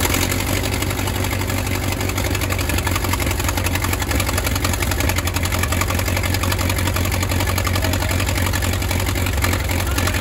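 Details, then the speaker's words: 1934 Allis Chalmers Model M crawler, 300 cubic inch four-cylinder, 85 years old, long unused, oil leak present, coolant fitting leak just fixed; loud raw open-exhaust bark, even steady beat, no knocks or misses; running pretty good without muffler. "that is crazy guys this machine this is 85 years old still runs still runs pretty good too"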